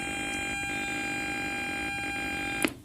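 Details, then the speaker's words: Bluetooth audio board feeding an amplifier with a 4440 board, audio muted: steady high buzzing hum from the speaker; ground loop noise between Bluetooth module and amplifier. "आपका ऑडियो जब म्यूटेड होगा, यानी ऑडियो जब उसमें नहीं बज रहा होगा, तो भी वहाँ पे एक जो आवाज़ आ रही होगी इस तरह"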